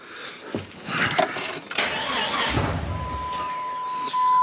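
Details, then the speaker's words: Salvage-auction Jeep Cherokee after new fuel filter, regulator, replacement fuel line and NGK plugs; uneven long cranking catches a brief ragged first fire without settling, the same hard start; fuel pressure then confirmed, gas smells stale, owner suspects lines or crank sensor. "Oh, there's first fire. Come on, girl. Kind of got the same thing, so let's just test for fuel pressure."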